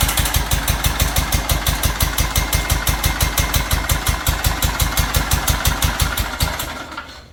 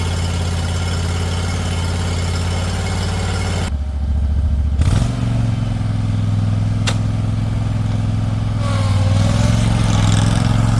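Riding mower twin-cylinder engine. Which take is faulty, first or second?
first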